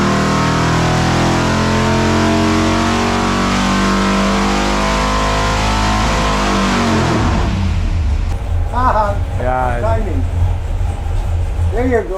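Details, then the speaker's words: 572 Hemi engine on racing fuel, timing backed from 34° (misfired) to 28°: hard, even roar holding high revs about seven seconds, then easing to a lumpy idle; pulls clean with no misfire, runs much better at 28°. "timing told you went a lot better there"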